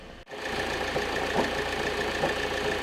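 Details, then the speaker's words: 2005 Opel Vectra C 1.9 diesel, nearly 170,000 km, idling, heard from under the hood: irregular dull metallic knocks over a steady rumble, suspected disintegrating dual-mass flywheel; clutch pedal noise and vibration, clutch and flywheel replaced. "слышно такие удары в этом очень похожи на маховик развалившийся который внутри возвращение дисбаланс вызывает у нашего подарок постоянно эти звуки"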